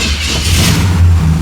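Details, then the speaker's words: 1977 Chevy C10 V8, second start attempt after steering gear box swap with a previously empty fuel filter: catches and revs up with a deep rumble, then settles into a steady run; normal engine start. "Ooh-wee. Oil pressure gauge is working too. Ha! Second try wasn't too bad."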